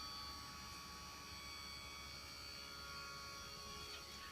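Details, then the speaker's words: 1998 Ferrari 355 F1, key at auxiliary with engine off, bonnet cover open: even, high-pitched electric buzz of the F1 hydraulic pump priming while the pump light flashes; normal. "okay so when i insert the key and go to auxiliary i do hear a buzz sound that i believe is the f1 pump"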